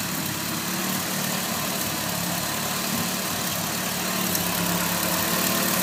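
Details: Nissan SR20DET with T28 turbo at idle: fast, sharp tick of about four per second over steady idle; owner suspects exhaust leak where the T28 flange bolts to the manifold, not confirmed.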